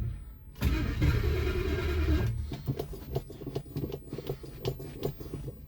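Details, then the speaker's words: Mercury Monarch, carburetor thought to need a rebuild, about 5 pedal pumps with light throttle: short cranking burst that cuts out, then uneven clunks two or three a second as the starter fails to catch the flywheel. "Put the foot a little bit on the throttle, and then have the starter not catch the flywheel."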